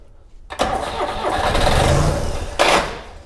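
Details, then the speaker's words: Subaru Sambar kei van engine, sat in a field 25+ years, first start after replacing a broken distributor plug wire: a short crank catches at once and settles into a steady run, then revs cleanly on a throttle blip, running normally. "How good is that? Brilliant. Yeah. Oh, well, that's one thing down. The motor runs."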